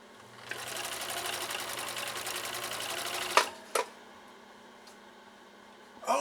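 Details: 1962 Husqvarna Viking 19E Special, straight stitch through four-ounce chemically processed elk hide: quick, even needle chatter about three seconds, no binding, stops cleanly; normal sewing operation.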